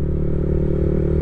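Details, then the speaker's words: Riding a Honda Supra GTR150 on a night tour, a steady engine drone carries a dry, rustling clatter from the noisy drive chain underneath. The exhaust is still louder, and the rider calls chain noise a factory trait also seen on his 2010-2011 Honda Revo. "Rantainya berisik, knalpot sama rantai. Ini kalau mungkin gak masuk di audio ya, kalau kalian dengar sendiri itu memang masih lebih besar knalpot, tapi rantai itu masih kedengaran bunyinya cuy."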